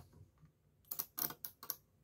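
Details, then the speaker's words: Car relay on the bench, coil driven by a 9 V battery to switch 230 V: a quick burst of four or five crisp clicks over a quiet background as the relay pulls in; relay switching normally. "vous voyez? Voilà. Donc ça fonctionne. Donc le but c'est ça, c'est de commander avec une tension basse."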